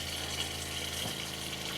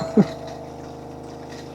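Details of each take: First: Electric water pump in a Mercedes Vario camper van running to bleed air from the lines before feeding an iSpring RO5004F reverse osmosis filter: steady hum with rushing, spitting water, running normally. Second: Small water pump of an iSpring RO5004F reverse osmosis filter installed in a Mercedes Vario camper van, on 240 V power: steady low electric hum with a brief clunk at the start; air trapped in the line, cleared by opening the tap.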